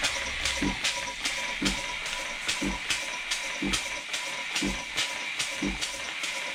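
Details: 1950s German engineering-students' steam engine on its first test run since then, fed steam from a DeLonghi coffee machine because its boiler has holes. Steady, even chuffs two or three a second over constant hiss; normal running.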